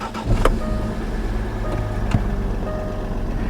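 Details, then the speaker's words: Jaguar XF S, cold start: low rumbling idle with uneven, lumpy beats for the first seconds, then steadying out; these engines are normally lumpy about five seconds when cold, then silky smooth. "these engines by the way they're always a little bit lumpy for about five seconds when they're cold and then they're just silky smooth"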